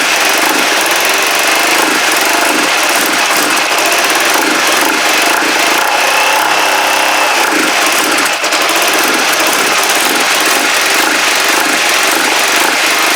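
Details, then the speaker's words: Kawasaki GPZ500S, carb vacuum port blocked with a screwdriver: uneven ragged stumbling idle with no steady beat; vapour seen, possibly unburnt fuel; owner suspects carburettor, doubts timing. Rough running, cause unconfirmed. "not happy I'm beginning to think careta I really am uh it's not timing convinced it's not timing"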